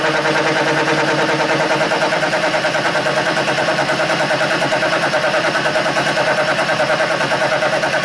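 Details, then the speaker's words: Burke horizontal mill, 4-inch staggered cutter cutting at about 5 thousandths per pass: fast, even chatter with a harsh ring; spindle speed too fast for a cutter this size, and lowering speed then sounded better. "And I think that speed's a little fast for that size of the cutter."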